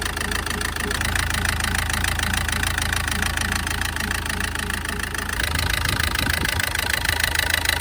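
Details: SsangYong diesel at idle, injectors under test: steady idle with a sharp regular tapping about three times a second over the rumble, a rough combustion knock; bad injectors suspected, not confirmed.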